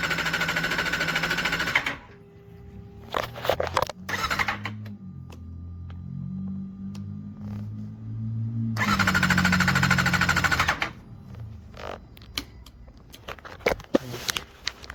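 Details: Motorcycle that cranks but won't start after starting only randomly; all fuses except the main fuse under the tank have been checked, and fuel pump or spark is suspected. Two roughly two-second bursts of the starter spinning, never firing. Crank, no start.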